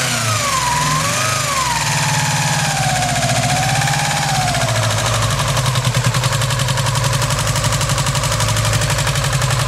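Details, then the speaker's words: Subaru Impreza EJ18 engine after an intake swap, with new plugs and leads and reseated connectors: idle has an uneven, lumpy beat with skipped pulses; not running on all four cylinders, cause unknown. "so yeah as you can hear it doesn't sound like it's running on all four cylinders"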